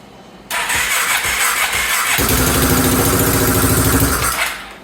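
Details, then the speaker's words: 2014 Sportsman 570 ATV first running after top-end rebuild: catches and runs with sharp puffing tick each firing stroke, lots of smoke; exhaust leak at head because the Rev 6 kit exhaust ring isn't sealing, to be replaced with other ring. "all right it started and there's a lot of smoke so I'm thinking that this exhaust thing I put on the ring that Rev 6 came with that kit is not going to work"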